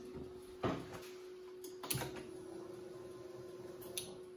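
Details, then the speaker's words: Land Rover Defender 90 with 6.2 L Chevrolet LS swap, key on before first crank: a few crisp relay clicks from fuse block and fuel pump relay, then faint steady hum of fuel pump priming and shutting off; normal key-on behaviour. "I'm not sure if you guys were able to pick up on that but heard the uh relays from our fuse block as well as the fuel pump relay turn on which is a good sign a fuel pump ran and then shut off"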